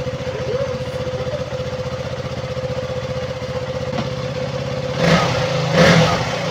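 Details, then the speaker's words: Fuel pump hose on a KTM Duke 200 single replaced; engine that stalled at idle within 3–5 seconds and lost power while riding now idles evenly and steadily, two quick throttle blips settle back cleanly, no more fuel spray from hose: normal idle. "so Ayan na po umandar na po siya normal na po yung kanyang andar"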